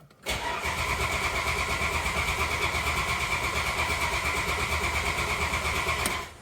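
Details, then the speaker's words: 1987 Dodge Dakota carbureted 3.9 V6 with gear-reduction starter, first start after winter, cranking without choke to build oil pressure; steady even cranking about three beats a second, no galloping, compression sounds balanced; normal even cranking. "What I'm doing is I haven't set the choke yet, so it's not going to fire. It's just going to crank away."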